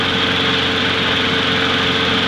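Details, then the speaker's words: Trash-found mower after cleanup with grill cleaner and water, handle tied down to run and dry off: steady even single-cylinder speed, no misses or knocks; runs normally, though it was later found losing oil. "i'm going to start it up let it run for a little bit and want the clamp to handle down or tie it down let it run a little bit and kind of draw itself off"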